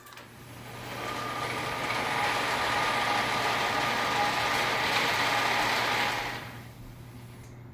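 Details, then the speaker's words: 2013 Genie Excellerator DC screw-drive garage door opener, run on the bench before installation: smooth, steady motor drone with a low hum that slows and fades near the end of travel; quiet and healthy. "it does slow down near the end it's really quiet opener actually"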